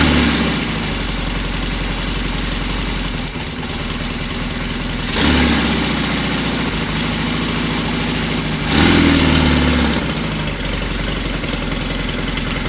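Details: Royal Enfield Constellation twin, running both cylinders from one carburettor, morning cold start with condensation on pipes, no wet sumping: catches first try and settles into an even, steady idle around two beats a second; healthy cold start.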